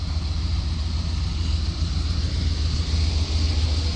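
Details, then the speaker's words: 1979 Ford Pathfinder Quadravan 4x4, just restarted after work, still needing tune-up and with vacuum leaks suspected: deep even burble at idle, no knocks or ticks, no leaks; sounds healthy. "All that hard work paid off. Motor sounds good too."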